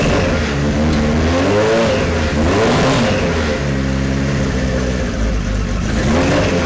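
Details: 1973 Kawasaki Z1 900 four, started with enricher after plug caps swapped to non-resistor: revs rise and fall unevenly, stumbling and hunting; rough, possibly weak spark on one cylinder.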